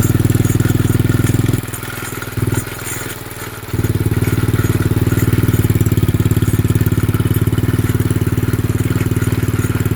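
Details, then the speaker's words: Xpro 110cc quad after tightening loose chain via rear axle adjustment: revs from idle, drops, then holds even beat with light rattle; chain fine, rotor and caliper bang slightly. "Alright guys, so it was still making a little bit of noise there, but you see we got everything from these little axle covers here, so we got the rotor and the caliper. If you actually see it running, those things do bang"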